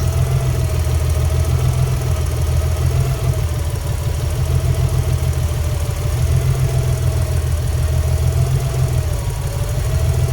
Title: rough idle, misfire, about 100rpm change when pulling injector plugs.